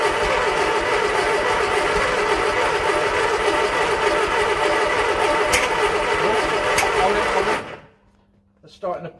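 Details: 1968 Bedford CA ice cream van, long laid up, after priming with fuel: fast steady cranking for about seven seconds with a couple of sharp pops, trying to catch without running.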